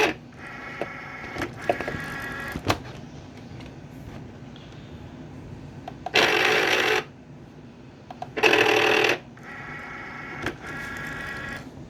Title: cricut wont load mat plus loud grinding sound